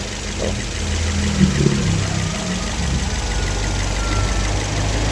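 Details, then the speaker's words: Car at warm idle after a timing chain set and engine mounting/spacer replacement: a steady, even, smooth low hum. The timing chain rattle and the vibration felt through the steering and seat are gone; normal idle after repair. "getarannya udah benar-benar halus sekarang enggak kayak sebelumnya"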